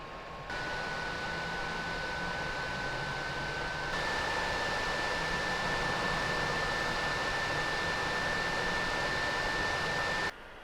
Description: The PS4 was overheating and causing the fans to spin fast and loudly.